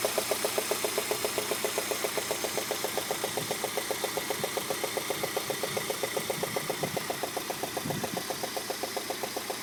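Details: Peugeot 106 GTI at idle: steady, sharp ticking about two and a half times a second over the engine hum, with the head done three months earlier; the cause was a failed four-month-old (5000 km) spark plug.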